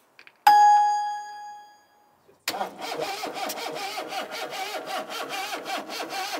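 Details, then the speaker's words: 1980s MG/Austin Rover turbo barn-find car: chime then sluggish, uneven, labouring crank at two to three turns per second; spark present but battery weak, jump pack to be fitted next. "yeah we have a spark so that batter is sounding a bit weak I'll put the jump pack on it"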